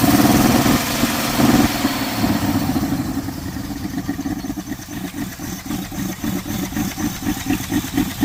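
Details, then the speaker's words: 1979 Dodge truck V8 sitting over 10 years, after hard start: loping, galloping idle with uneven beats and dropped pulses audible in exhaust; rough idle with misfire, one dead cylinder, earlier internal clanking on revving. "It's finally idling a little bit. You hear a gallop and a miss. You hear the exhaust, you can hear the miss. It's pretty bad. So it's got a dead hole."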